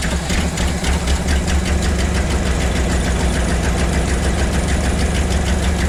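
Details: 1975 Ford F750 pipeline truck V8 after a fuel filter change for weak fuel pressure: low, steady rumbling idle with light even ticking; idles normally.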